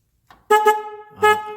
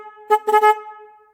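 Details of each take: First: Car horn connector jiggled to check for a loose connection: two short clean horn blasts come and go as the plug is wiggled; horn cuts in and out from a loose connector. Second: Car horn powered directly by jumper wires to battery positive and negative to test it: loud, clean, steady tone in a few short blasts with quick fade, no rasp or sputter; horn itself works.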